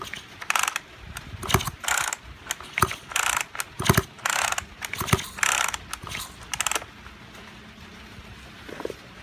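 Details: Junk Kyoritsu chainsaw of unknown condition. Repeated recoil rope pulls give ratchety rasps with no first fire, so it won't start; seizure and low compression are suspected, not confirmed, and an overhaul is being considered.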